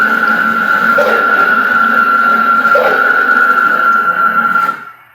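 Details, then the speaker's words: CNC router Y-axis, PureLogic PLCM-E1B controller, jogging before the fix: steady stepper whine surging about every two seconds instead of smooth tone; anti-backlash nut tension causing pulsing, non-linear motion. "you may find that your anti-backlash nut different tensions are going to cause different variables"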